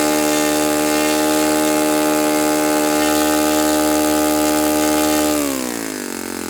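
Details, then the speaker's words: Saito FA-91S model four-stroke glow engine on test stand, cool 60°F day, now on Fox Miracle glow plug after earlier rough start: smooth, even high drone then clean drop in pitch when throttled back; beautiful, normal running. "Okay, that's a beautiful running engine. It's a beautiful engine."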